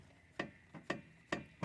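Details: Chevrolet Meriva raised front wheel rocked by hand: sharp metallic clicks from large play in a worn lower control arm ball joint (pivô da bandeja); ball joint to be replaced.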